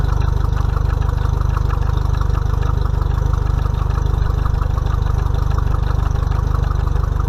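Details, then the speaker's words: Mercury 50 hp four-stroke outboard on a 2020 Bass Tracker, first break-in service, run under a minute to circulate oil before checking level: steady even idle, regular low pulse about three beats a second, no knocks or ticks; healthy. "okay guys so you don't have to let it run long to try to get the old hot uh let it run for maybe a minute or less"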